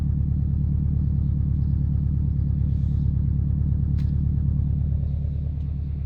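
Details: Subaru Impreza WRX GC8, EJ20G turbo at idle, deep rumble with a regular knock about three per second; driven a year, prior owner two years; told forged pistons knock, owner suspects connecting rod; unconfirmed.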